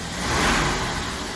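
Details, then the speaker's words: 1977 Winnebago abandoned 20 years, previously running on 7 cylinders, after possibly clearing a gummed-up spark plug: engine revs smoothly and settles to an even, steady note, no misses or knocks; sounds healthy, good oil pressure. "oh that sounds super healthy might have just had a gummed up plug this whole thing sounds"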